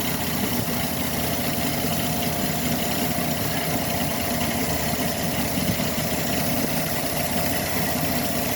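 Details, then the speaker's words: 2013 Chevy Silverado 4.3 with suspected throttle body codes, just started; steady even idle with a low unchanging hum, no misses or shaking before the problem returns; smooth idle. "Okay, engine's on. It's not shaking. Nice and smooth. Everything's good."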